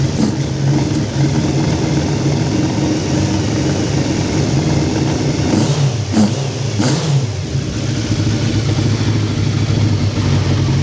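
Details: Hayabusa engine in a Nissan Micra, first run before warming to temperature, choke on: deep, even idle with clean quick throttle blips, no knocks or rattles, settling back smoothly; normal idle and revving.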